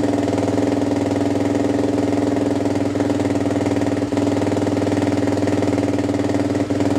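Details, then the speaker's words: Suzuki LTZ400 quad after rejetting: 170 main jet, needle on last (richest) setting, pilot jet unchanged, spark arrestor removed. Quick, even single-cylinder putter at idle, steady pitch, no stumbling; running much better than before, minor exhaust leak at muffler slip joint. "Sounds good to me. I do have a minor exhaust leak right where the muffler slips on, but I think I'm gonna check that out right now, see if I can seal that up, and then yeah, seems like it's running a lot better than it was before, so I'm happy about that."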